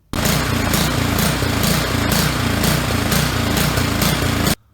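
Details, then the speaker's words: Snowblower small petrol engine with fixed-jet carburetor, idling: uneven surging note swelling and fading about twice a second; suspected fuel starvation, but cleaning the high-speed jet and emulsifier did not fix it. "cleaning the high-speed jet the emulsifier in parts of the carburetor did not solve our problem"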